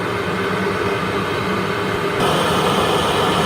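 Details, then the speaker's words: Worcester Greenstar 38 CDI boiler, annual warranty service, at maximum rate: steady fan and burner roar; analyser reads CO2 9.8-9.9 against a 9.7 target, needing a slight max-rate adjustment; CO2 slightly high. "you said nine point seven it's nine point eight nine nine so we got do a slight adjustment to get it down to nine point seven"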